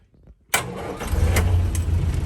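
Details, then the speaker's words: 1979 Land Rover Series III military Lightweight, reconditioned 2.25 engine, warm after a run: quick crank catches at once, settles to steady even idle, no knocks or misses; slight top-end rattle only when cold. "running quite warm at the moment it's been out for a run in it here we have a 2.25 military motor reconditioned one"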